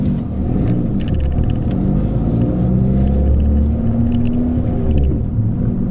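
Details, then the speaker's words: Peugeot 206 driving after replacing the worn sway bar link and fitting a coilover with a new top mount and bearing, which had clunked over bumps; steady low road rumble, no knocks or clunks, suspension now sounds healthy. "everything seems pretty good for now i don't hear any noises"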